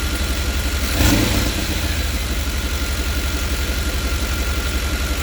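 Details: 5.7 L TBI V8 idling with the interior engine cover removed, running louder than normal: loud, rough idle with a raspy puffing chuff throughout; an exhaust leak somewhere in the engine compartment.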